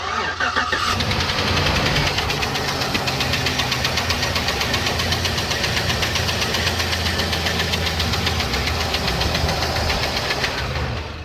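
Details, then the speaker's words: V8 Trailblazer at cold idle, seller called it rod knock: sharp, fast tick about four per second over the idle, before an additive is poured in; collapsed lifter tick. "you wanna crank it up real quick and we'll just let them listen to the lifter tick that horrible"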